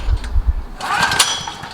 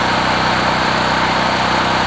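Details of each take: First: Several-years-old Generac recoil-start portable generator, 36.8 hours, sat for months, 89 octane with Stabil 360 and a new spark plug, choked: low cranking thumps from about 20 pulls that never catch; chronic hard cold starting, cause unknown. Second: Generac GP5500 recoil-start generator, several years old, 36.8 hours, 89 octane with Stabil 360, new plug, running after about 25 pulls from cold. Steady, even engine drone with no misses or surging; runs smoothly once started despite hard starting.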